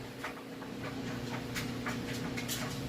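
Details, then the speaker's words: 3-year-old Maytag large-capacity electric dryer tumbling a full load of clothes: quiet, steady motor hum with soft, irregular tumbling and no squeal, scrape, banging or shaking; normal, smooth, stable operation. "Toss that in there and hit go. We can see it's nice and stable, it's smooth, there's no weird noises or shakes or anything like that."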